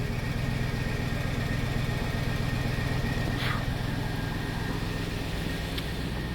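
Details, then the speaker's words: 1999 Cadillac Deville Northstar V8 after subframe swap, cold start on its warm-up loop, quiet at the rear: steady low hum with elevated warm-up idle, no knocks or misses; normal cold-start idle. "It's on its warm-up loop, but ooh, it's pretty quiet out back here, though, which is really nice."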